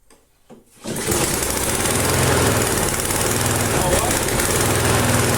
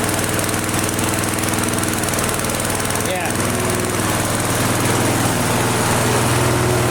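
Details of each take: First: Flea-market lawn mower, Briggs & Stratton 5 HP, half throttle, carb uncleaned, no air cleaner fitted: fast rattly single-cylinder beat swelling and easing slightly; mild idle hunting, owner suspects the missing air cleaner. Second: Flea-market lawn mower, Briggs & Stratton 5 HP single, primed three times, half throttle: steady even putter at constant speed, no misses or knocks over exhaust drone, runs great. Normal running.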